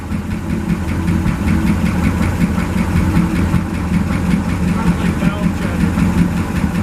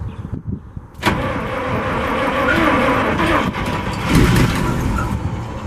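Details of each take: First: 1963 International work truck, 549 V8 idling on the gas tank through the old carburetor, no water: deep, steady idle with no knocks or misses. A small noise possibly from the transmission or clutch area; belts shredding. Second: 1963 International 549 engine with two distributors, on starting fluid (ether) only, no fuel supply yet: brief crank, then a rough, uneven roar that surges and sags, trying to start but not running well.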